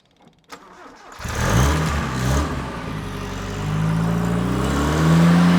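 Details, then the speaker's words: RA28 Toyota Celica, cold start of newly installed engine after cleaning rust-blocked thermostat housing and tightening leaking carb nuts, radiator uncapped; catches at once, steady even idle, revs creeping up as coolant reaches 36 degrees, water pump circulating, no leaks; normal. "All right, so we already put a little bit of heat into it, 36 already, and water is rushing past this at a high rate of knots, which is a good sign, meaning the water pump's going."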